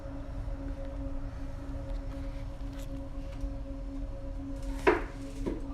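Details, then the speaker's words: Air vent blowing: steady, even high hum with a faint higher overtone; the vent vibrates to the touch and hand pressure stops it; suspected resonance, not confirmed. "I have a constant and like high-pitched hum when the air is blowing out of this"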